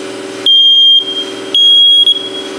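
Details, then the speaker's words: Faulty First Alert smoke detector, opened and blown out with an air hose, which did not help: piercing high chirp near 3 kHz in half-second bursts about once a second, nonstop; continuous smoke alarm beeping, cause unknown. "What do you think? Is it going to still beep? H probably."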